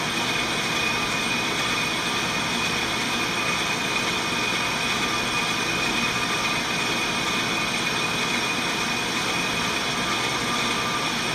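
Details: On-car brake lathe cutting a brake rotor with anti-chatter pads fitted, after the clutch click: steady, even hiss with a fine metallic ring, no chatter or uneven bite; normal rotor machining.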